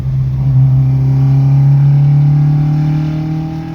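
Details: Mk2 track car with high-compression ITB 2.0 16v race engine: strong steady drone rising gently in pitch under a pull, no sharp metallic rattle; not pinging, sound persisted with timing pulled, just harmonic engine resonance.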